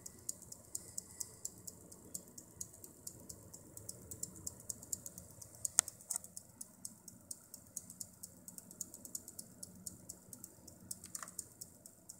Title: Problema ticchettio ronzio alimentatore XFX Proseries 550W Core edition -XFX PSU ticking sound